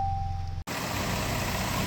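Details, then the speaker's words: Salvage Jaguar F-Type being rebuilt, started with a jump booster after chargers failed on the flat battery; after a brief cut the engine runs with full even roar, no knocks, misses or stumbles; healthy running, later warmed up with no leaks. "All right, she's coming alive. Let's see if we get some engine noise out of her."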